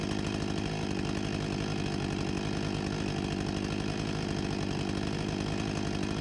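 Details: Husqvarna 254 G chainsaw from 1989 after carburetor refurbishment and fuel line replacement, idle set around 3000 rpm: two-stroke settles into a steady, even burble at idle, no hunting or stalling; runs cleanly.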